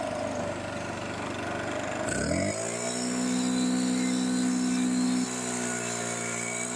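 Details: STIHL BR600 leaf blower after carburetor and fuel line replacement, carburetor adjusted, primer ball still not priming properly: engine catches about two seconds in and settles into a clean steady high drone without surging or stumbling; running normally.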